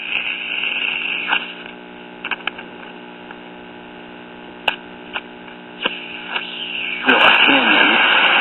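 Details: Late-1950s Japanese Londala tube radio after new volume control fitted: steady low buzzing hum under faint crackly reception, one station only.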